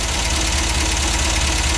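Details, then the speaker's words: Engine with hand-filed, likely misset points and 10-year-old fuel mixed with about two gallons fresh: uneven lumpy idle with faint ticking and smoke; rough running from ignition or stale fuel. "well it's got two problems one I filed the point so I'm sure the points are not set correctly well it smoked pretty good that kind didn't it yeah and the other problem is the gas is 10 years old and only mixed with about two gallons of fresh"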